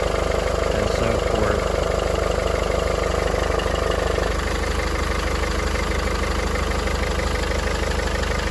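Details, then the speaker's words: Mercedes-Benz GLK250 OM651 diesel, 151,000 miles, 10,000-mile oil changes, cold start: even idle, slightly louder clatter while cold, no timing chain rattle, only the cover rattles; normal and healthy. "it is a little louder when it's cold but that's just normal why it's way down once it warms up"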